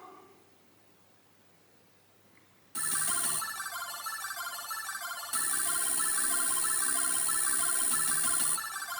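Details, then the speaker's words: MiSTeryNano low-cost Atari ST/STE FPGA (Tang Nano board with Raspberry Pi Pico adapter) running an ST game: a harsh steady high buzz rides over sampled sound effects; regular AY music seems okay. Noise on the sampled-audio output. "Can you hear that buzz? It's bad, isn't it? It does it on a few things, usually where there's sampled sound."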